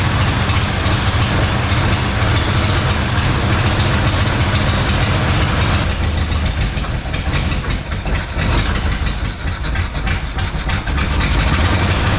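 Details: 1956 Plymouth Savoy 277 Poly V8, first start after sitting, with fuel pump fitted: old V8 settles into a steady, somewhat lumpy low rumble with no knocks or squeals; normal running.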